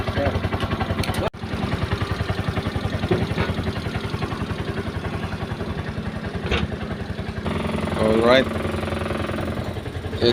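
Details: Brand-new Piaggio Ape 200cc stored long in a warehouse, with a dirty fuel tank and hard starting, running on a jump battery: even, steady putter about three and a half beats a second; healthy.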